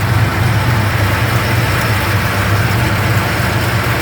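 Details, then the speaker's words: 1971 Plymouth Roadrunner V-code, cold start outdoors after sitting in a 55-60°F showroom: deep, steady V8 idle with an even beat and only a slight lump from a reasonably mild cam; sounds healthy. "Engine's got a reasonably mild cam. It doesn't got just a little bit of a lump."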